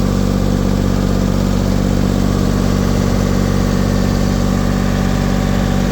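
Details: LeeBoy 1000 paver diesel after fuel-system priming repair for starting then shutting down: steady, even drone at raised speed, about 2000 rpm, with no knocks, misses or hunting. Water temperature 80, oil pressure good, no codes. Normal running.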